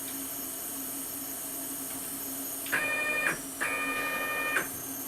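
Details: Y-axis stepper on a homemade JGRO CNC router, tuned in Mach3 after an upgrade from an 80 oz motor, velocity about 38–40 and acceleration about 23: quiet hum, then two clean rising-and-settling moves without stalling, a normal jog.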